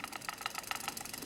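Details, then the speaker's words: Aiwa AD-F770 cassette deck during fast-forward/rewind: uneven chattering clicks as the drive grabs traction and loses it; worn idler tire slipping, running FF/rewind a few times helps it grip. "You hear the noise? It's kind of slipping, so it's grabbing, catching traction, and then it's losing it like that, you know."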